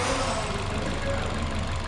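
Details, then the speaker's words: Toyota Fielder petrol engine idling and revved unevenly, low thrum stumbling: misfire and loss of power, before diagnosis; plugs and coils found OK, injectors removed for bench testing. "olha só estava falhando e sem potência a gente vai diagnosticar e verificar o que está acontecendo"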